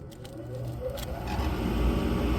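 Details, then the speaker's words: Furnace reported as noisy, blower started by jumping the green 24 V fan wire: low rumble swells smoothly as the fan spins up, no rattles or scraping; normal blower startup, complaint later traced to a grille. "el aire el abanico prende el ventilador prende automáticamente no oo nada fuera lo normal de verdad no oigo nada no escucho nada que sea bueno"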